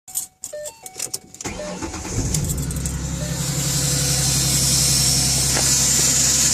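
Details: 2010 Ford Mustang V6, cold start after sitting many hours; door chimes, engine fires to fast idle with a light metallic tick that fades as it warms and gets louder and faster with rpm, owner suspects lifters, cause unconfirmed.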